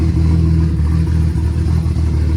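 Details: Nissan S14 with RB25DET engine and new head, first startup warming up: deep, smooth, steady idle with even beat and no knocks or rattles; oil smoke burning off manifold and turbo.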